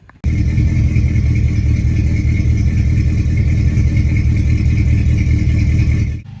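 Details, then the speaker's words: Old Ford Ranger six-cylinder running with a horrible misfire; loud uneven lumpy stumbling beat with rattle; spark present at all six cylinders but no fuel, owner blames a couple of bad fuel injectors. "got a couple bad fuel injectors we going to work on it's got a really bad mess"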